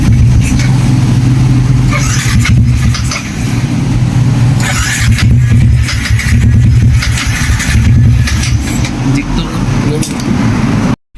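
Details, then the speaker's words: Sniper 155 motorcycle that keeps dying: runs rough and uneven then cuts out abruptly; starts but stalls when throttle is opened, injector checked as suspected cause. "So nakita ninyo guys no mupalong siya sa pag-start pa lang daan dili na gyud siya muganar dili na gud siya muandar"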